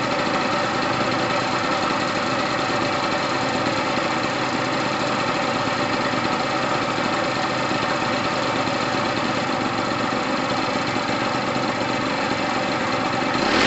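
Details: Gilera DNA 125 two-stroke, which had sat a while and needs loosening up, runs with a steady, crisp buzz and no knocks or rattles. New fuel line fitted; heavy two-stroke oil premix. Normal running.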